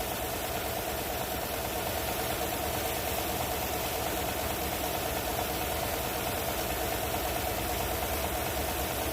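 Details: 2014 Chevy Silverado 4.3 V6 idling unevenly with a loose, stumbling misfire about twice a second; driver's side rear coil pack defective and visibly arcing through its side, spotted during an injector cleaning cycle.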